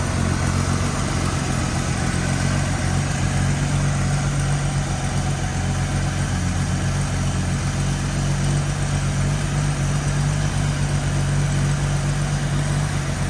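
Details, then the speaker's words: AMC Eagle after turning the carb idle mixture screws out a half turn: a steady, even, low rumble, idling smoothly without misses or hunting. Normal idle. "That sounds a lot better. Doesn't it? that is purring."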